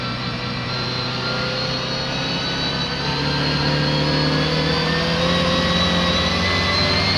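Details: A racing car, Bluebell, on the oily Silverstone Ice Rink: the engine note climbs steadily under load but is uneven and stuttering throughout. The engine is misfiring while pulling.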